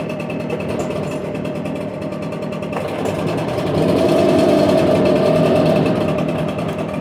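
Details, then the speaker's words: Echo PB770H two-stroke backpack blower, hot restart after hard running and a half-hour rest: starts and runs steadily, revving up smoothly with no stumbling or dying; previously it wouldn't restart hot, now it's good to go. "That was the very first one, so at least they start up now, which they weren't doing before. That one's good to go."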